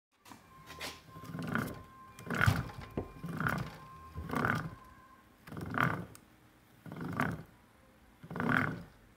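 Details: 2006 Toyota Matrix AWD with a rhythmic wooing howl that swells and fades about once a second from worn rear differential viscous coupler bearings; the bearing feels lumpy and bumpy.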